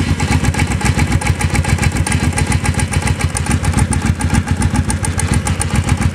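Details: Motorcycle idling with a steady clunk about three and a half times a second over the idle; source not identified.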